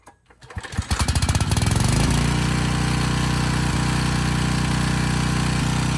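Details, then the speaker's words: Briggs & Stratton Storm Responder generator with replacement 10 HP Briggs engine under a 3000-watt space-heater load: pulses quicken into a steady deep drone holding pitch at about 58 Hz; extra noise is the starter assembly rattling on the engine. "okay not terrible but not great at least it was about 58 hertz under a 3000 watt load"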